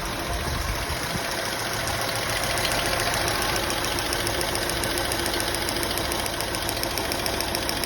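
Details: Honda Accord idling unevenly, with irregular knocks and stumbles about two per second and no steady beat; misfire on cylinders 4, 5 and 6.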